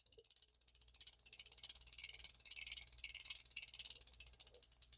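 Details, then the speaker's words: Hand-turned 1966 Shakespeare 2052 ultralight spinning reel: fast clicking with a heavier knock each turn. Not the rotor bearing; a worn spot on the gear is suspected, gear set may need replacing. "That's not the rotor bearing. That's a gear. It might get better. Lord have mercy, it's always something. That's a That's a place on the on the gear more than likely."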